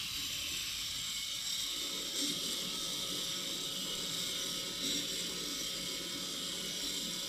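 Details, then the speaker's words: USB-charged model car engine kit with timing chain, flywheel, water pump and stator motor: light plastic ratcheting clicks as the small motor turns the works steadily, no binding or stalling; the engine runs properly. "Okey, jadi sekarang kita dah cas, jom kita try. Okey, nampaknya enjin ni berfungsi dengan baik."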